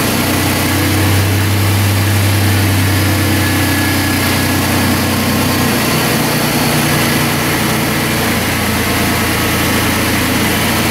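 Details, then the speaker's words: 2005 Chrysler Pacifica idling after A/C condenser replacement, compressor oil set to 7 oz and 1.81 lb refrigerant charged, cooling fan temporarily plugged in; steady low hum settling as the compressor kicks on, with no rattle or squeal. Normal A/C compressor operation. "I see the compressor kicks on"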